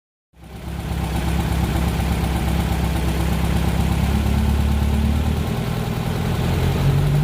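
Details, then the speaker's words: Fuel-injected VW Beetle (Fusca) flat-four with four individual TBIs, after fixing a false air leak at the intake manifold base and equalizing the linkage: even low putter holds a steady, healthy idle with no hunting. "Feita essa verificação, eu deixei equalizado as 4 bocas ali com acionamento simultâneo entre elas. Tudo estabilizado então."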